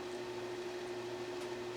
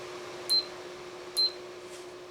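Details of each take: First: Amana room air conditioner: only a steady fan hum with a faint high tone, no compressor thump, and the air comes out merely warm or slightly cool. Compressor suspected not running; cause unconfirmed. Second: Amana room air conditioner, cycling through fan and AC modes: three crisp clicks about a second apart over a steady low hum; control relays switching normally as modes change.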